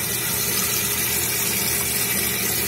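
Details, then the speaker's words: Toilet tank with water running into bowl non-stop: constant rushing hiss that never tapers off because the flush valve flapper isn't sealing; running toilet, flapper not sealing. "It's our flush valve. There's the flapper. That creates a seal and prevents the water from the tank going into the bowl."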